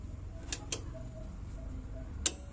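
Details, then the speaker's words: Proton AV-776B power amplifier being repaired for a no-sound fault where the protection relay wouldn't click. Powered up through a series connection, sharp clicks over a quiet hum as the relay pulls in properly and sound returns immediately. "Okay super நம்மளுக்கு relay click ஆயிடுச்சு. உடனே இம்மீடியட்டா sound வந்துச்சு திரும்ப of பண்றேன் பாருங்க."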